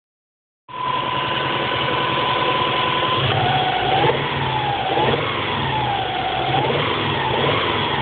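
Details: Subaru EJ22T short block with EJ25D heads, 470,000 km on bores and pistons, new bearings and rings 50 km ago, warm at fast idle: hollow knock about four per second under wavering whine, hardly present cold; excessive piston slap in worn, honed bores.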